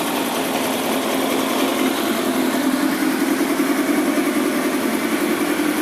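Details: Kawasaki ZX10R on its first start after a track engine build: steady, slightly lumpy high idle with a smooth continuous buzz, no ticks or knocks; holds idle evenly.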